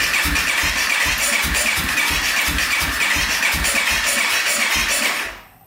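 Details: 2014 Honda CRF250L, valve cover refitted, cranked with the air filter removed as an attempted fix. Starter cranks steadily at about three pulses a second for five seconds and never catches. Still won't start; a clogged silencer is the last thing left to check, though doubted.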